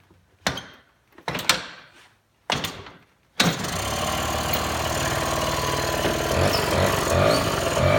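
A few kick-start thumps, then the little two-stroke catches and holds a steady buzzing idle that rises slightly.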